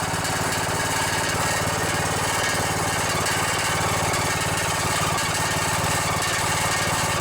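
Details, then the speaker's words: Riding mower with 17.5 hp OHV single-cylinder engine (known for blown head gaskets, failing cams) at fast idle: steady thump with tinny metallic buzz on each firing pulse, loose muffler rattling; otherwise runs well. "Yeah, that rattle is the muffler. Well, other than that muffler rattling, sounds pretty good."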